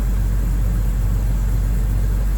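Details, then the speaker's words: 2000 Jeep Wrangler TJ starting after starter replacement: steady, even low idle with no misses, knocks or starter grind, owner notes slightly hesitant start; normal idle. "And now's the moment of truth to see if it worked. There we go. She started up"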